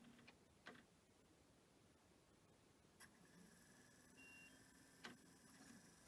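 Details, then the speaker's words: Pioneer DVL-K88 laserdisc player bought as junk from Japan, DVD test: light mechanical clicks, a few soft beeps, then a quiet steady whir as the disc spins up and loads the menu; normal loading and spin-up. "Okay, it seems to be playing DVD as well. It's going to stop."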